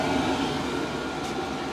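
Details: 8kW Chinese diesel air heater installed in a greenhouse, firing up after filling with fuel and priming the pump: steady dense roar with low hum beneath, normal startup combustion that then quietens down.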